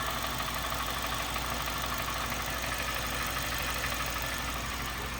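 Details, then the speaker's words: Honda Fit GD3 petrol engine idling after a valve adjustment, with a steady knock of about three beats a second plus a tick, still present after revs; owner suspects rod knock, not confirmed. "All right, so definitely some sort of knock still. I don't know if it's just Honda noises."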